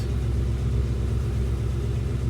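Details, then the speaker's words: 1966 Ford Mustang convertible V8 shortly after cold start, throttle blipped to release choke: deep even V8 rumble at steady idle, no knocks or misses; normal warm-up idle. "I'm just going to blip the throttle see if I get choke turn off beautiful listen to that what a stunner"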